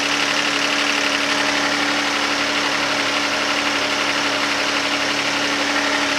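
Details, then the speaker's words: 2011 Hyundai Santa Fe 3.5L V6 starting after oil pressure switch job, fuel rail removed and refitted: fast regular ticking, about two per second, over idle; lifters loud as engine starves for oil at startup, cause suspected. "The engine started up. You can hear at the beginning of the startup the engine starving for oil, and you can hear the lifters go absolutely nuts, and even afterwards."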